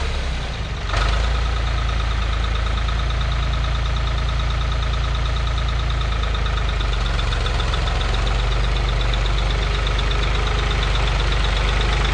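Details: 1985 Ford 545A 3-cylinder diesel tractor loader backhoe, first cold start after rebuilt injector pump installed and bled: settles into a steady, even idle with low constant clatter, no misses or knocks; runs good, though hydraulic pump is really slow.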